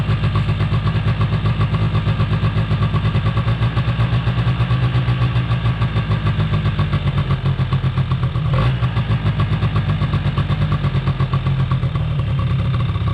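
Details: 2005 Polaris Predator 90 two-stroke with a new battery and retuned carburetor: fast, steady buzzing idle that hangs high; brake-clean spray around the carb caused no rpm change, air screw adjusted, cause still unknown.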